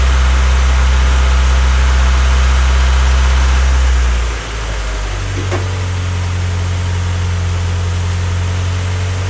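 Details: Honda Civic freshly rebuilt D16Y8 engine, first start-up on a weak battery: steady, smooth low idle with an even beat, settling slightly lower after a few seconds; sounds nice and smooth, normal healthy idle.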